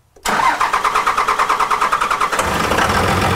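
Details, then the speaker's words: 2002 Dodge Cummins 24-valve diesel after FASS fuel pump and draw-straw install: long starter cranking at about ten even pulses a second without firing, then rougher; air being purged from fuel lines as fuel begins reaching them. "So it's beginning to get fuel with the one line and he's going to kind of let the truck, the starter cool off."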